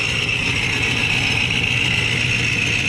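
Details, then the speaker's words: 1977 Camaro Z28 with a freshly serviced ProCharger, idling on a cold 36°F day: steady, high-pitched, even gear whine over a lumpy V8 idle that quiets as rpm rises. Normal supercharger whine. "you can hear the pro charger whining but when you bring up the rpms a little quiets down just those big gears the pro charger"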